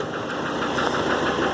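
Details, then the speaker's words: 2008 Nissan Frontier 2.5 diesel at about 187,000 km, slow to start: heavy diesel clatter with a hard knock that hammers hardest when the throttle is blipped and released. "quando se acelera e solta ela bate muito forte ele fica mesmo barulho"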